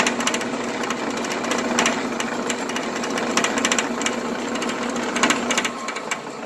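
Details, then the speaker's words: Old Sears Craftsman 12-inch band saw, probably long unserviced and untuned, running unloaded with busy rattly clatter and irregular ticking over the motor hum, much noisier than a new Grizzly 14-inch; noisy rough running. "I have no idea how old this Sears craftsman one is but I'm thinking it's quite old anyway here it is what it sounds like when you turn it on"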